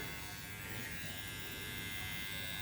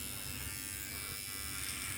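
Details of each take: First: These bad boys are pretty quiet. I like them. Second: Surker SK 7206 cordless T-outliner hair clipper cutting hair; steady, high, buzzy motor hum with no clear slowing or stalling. The owner wonders whether it is bogging down, but it cuts without pulling; cause of the odd tone unknown.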